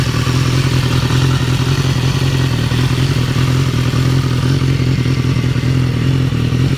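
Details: 2015 BMW S1000R, 4,600 miles, idling: fast, light ticking clatter mainly from the engine's left side, first only at 3,000-4,000 rpm, now at idle too; dealer called it normal; fixed by replacing the butterfly valve and cam chain tensioner.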